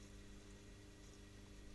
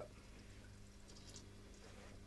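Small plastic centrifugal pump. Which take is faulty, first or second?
first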